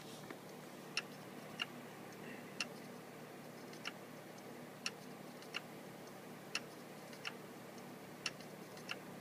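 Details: Seagate FreeAgent external drive: sharp isolated clicks about once a second over faint hum, recurring since last year; owner suspects internal hard drive failing.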